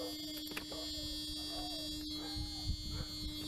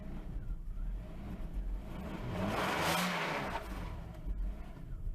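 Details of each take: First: Mercedes W140 S600 V12 that won't start; a broken fuel line is suspected and bad gas smelled. A faint, steady mid-pitched electric buzz under the room noise: the fuel pump priming the system. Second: Mercedes-Benz W140 S600 V12 idles unassisted, revs swelling and falling back every few seconds; hunting, surging idle. Owner suspects mass air flow or a fuel problem; cause unconfirmed.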